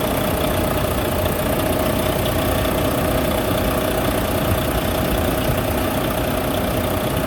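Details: Volvo D13 semi truck diesel, reported loud head knocking, restarted after repair: even steady idle clatter, no heavy knock; engine sounds healthy.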